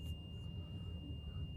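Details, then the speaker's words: 2017 Bluebird 40-foot Type 1 transit school bus, Cummins diesel, at high idle: steady high-pitched buzz over deep diesel rumble; low air brake pressure warning alarm sounding. "High idle, you can hear the low air brake alarm going off."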